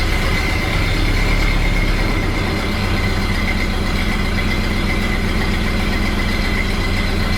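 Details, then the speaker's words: 1929 Ford Model A four-cylinder after installing a cleaned oil pan, rope seal and oil filter: slow, steady low putter at idle, even beat, no knocks or misses; idling really well. "Sounds pretty good. Sounds like it's idling really well."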